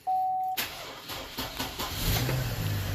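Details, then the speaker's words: 2007 Chevy Trailblazer 4.2 after sitting overnight in a garage at about 40–50°F: after a chime, the starter drags slowly, about two to three sluggish turns a second, before barely catching. A weak battery is suspected, and charging voltage reads high. "so you can hear us very weak right there"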